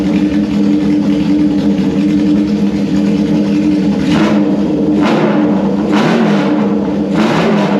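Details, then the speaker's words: 1974 Honda CB750 four-cylinder on auxiliary fuel tank with unbaffled straight pipes: loud, deep steady drone with a few crisp throttle blips, no knocks or rattles; running healthy. "these are straight pipes there's no baffles in it so this is a headphone alert if you've got headphones on turn it down right now I'm going give you a couple of seconds turn it down right now because it is loud here we go"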